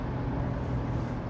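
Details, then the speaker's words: 2001 Chevy Tracker 2.5L V6 on a test drive after an oil change: steady low engine drone with no lifter tick from the top end; fresh oil made the earlier ticking go away. "Yeah, road's pretty smooth. No ticking. The ticking sound is not noticeable. I can't hear it at all."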